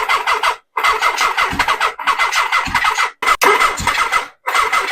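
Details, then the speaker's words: 1979 Suzuki GS1000 with a new Dyna ignition, on a battery the charger flags as bad: repeated short cranking bursts with uneven starter rhythm and a brief fire, never running. It cranks but won't start; the cause is unclear. "freaking a man well not sure exactly what my problem is now I did did hear it fire that was the goal"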